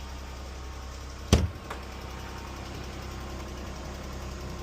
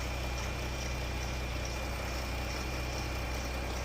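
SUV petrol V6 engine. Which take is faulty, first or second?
first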